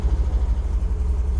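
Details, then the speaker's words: 1977 MGB four-cylinder, 70,472 miles, engine 18V883AE-L7967, SU HIF4 carburetor, cold on choke, held on a little throttle to keep running, good oil pressure: low, slightly lumpy rumble while it warms; normal cold warm-up. "A couple things you want to look for in this car when you start it is I've got my foot on the gas because we need to, the engine's cold,"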